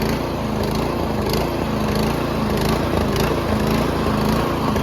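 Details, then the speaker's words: Troy-Bilt Storm 2410 snowblower, MTD Powermore engine, after carburettor cleaning, possibly flooded, at full run no load: pitch rises and falls about twice a second; surging on first start, dirty or undersized main jet suspected. "but honestly these Troy buils they surge after you use it for a while it doesn't surge you know but in the beginning when you first start it up you let it run for a bit it does surge"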